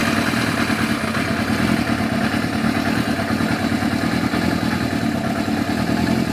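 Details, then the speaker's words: Yamaha FZR1000 four-cylinder motorcycle at idle, just started, carburettor vacuum readings 60, 57, 64, 58 on a digital sync gauge; steady idle with slightly uneven, clattery beat, no misses; carburettors unbalanced. "There you go, 60, 57, 64, 58. So they're definitely out."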